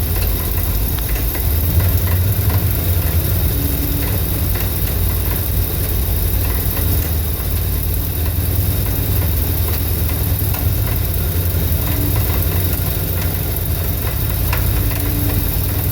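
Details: 1983 Dodge D250 318 carbureted V8 after swapping a Carter Thermoquad for an Edelbrock 600: deep, uneven fluctuating idle lope with occasional faint rattling clicks and backfire. Owner plans to check timing, plugs and the EGR valve.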